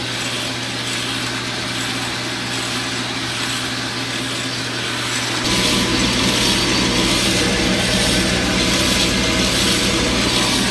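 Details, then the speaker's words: Ellis horizontal bandsaw, new blade just fitted after the first tension adjustment, run briefly to check tracking: steady whir with a light ticking rub about four a second; owner suspects a bearing, but all bearings felt free, source unknown. "I got one bearing or something making a little bit of noise there. You can hear that. I checked all the bearings. They all felt like they were free, so I'm not sure where that's coming from."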